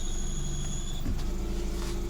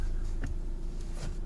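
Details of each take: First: Peugeot 307 sedan, exhaust also blowing: high thin steady whine over the idle that changes as the clutch pedal moves; worn clutch release bearing, to be replaced by separating gearbox from engine. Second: Peugeot 307 sedan after clutch release bearing replacement, pedal pressed: only a low, smooth engine hum with no squish or chirp; clutch now quiet and healthy.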